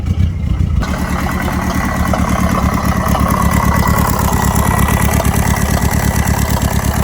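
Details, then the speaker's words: Turbocharged 1969 MG MGB with Mazda CX-7 K04 turbo, wastegate stuck shut, after full-boost test, overheating; loud lumpy stumbling idle with uneven thumps and irregular pops, near stalling; owner suspects blown head gasket, valve or piston. "I have never heard popping like that before. Let's cut it off before it actually blows."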